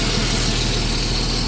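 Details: 1989 Jeep Cherokee XJ Renix with an intermittent fuel-pump cutout that stalls the engine: steady, even idle hum with a low drone and no stumble or dropout; the fault did not reproduce here.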